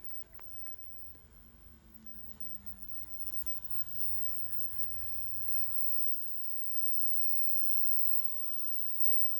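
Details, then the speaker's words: Nine-year-old ParkSafe 24V 3000W inverter, case off so louder than normal, 400W heater plugged in: coarse low electrical buzz peaks as load comes on then smooths to steadier hum; buzzing under load, owner unsure if normal. "Now I'll plug in a 400 W tiny heater and we see what happens. Ready? So an initial peak and then it smooths out a bit. That doesn't sound too bad."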